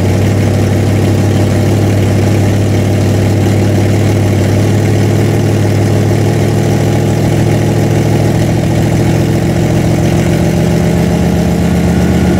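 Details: Freshly built 406 small-block Chevy V8 in an S10, first run during break-in: steady, even idle with a deep low rumble, no knocks or misses; normal idle.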